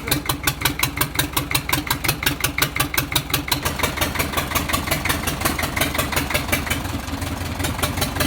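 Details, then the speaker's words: Four-cylinder Chinese diesel engine for a Shahzore/roller machine, idling after its fuel pump was repaired and refitted but not yet bench-tested: rough uneven chug, pulses near 170 per minute dropping out irregularly. It was misfiring (missing) before the pump repair. "पहले इसको start किया है ये missing कर रहा था अभी इसका पंप बनाया है लेकिन अब चेक करेंगे मशीन पे चेक नहीं किया है वैसे ही फिट किया है।"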